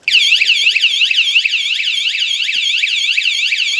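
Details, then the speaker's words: Wsdcam 113dB wireless vibration motorcycle alarm, armed and then bumped: a loud warbling electronic siren sweeping up and down about three times a second, steady and piercing; the alarm is fully triggered. "Someone comes along and bumps into it. Now that's the first thing you'll hear."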